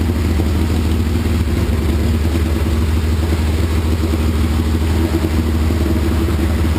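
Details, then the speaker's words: 1981 Laverda 1200 TS Mirage triple first run since 2003 after new cam chain, valves set, base timing, rebuilt carbs, new airbox and exhaust; deep even idle with strong steady rumble, no knocks, misfires or rattles; normal, slight carb fuel leak. "but anyway I'm thrilled started right up looks like I'm in the ballpark with my base timing settings and my base carburetor settings and it sure sounds healthy"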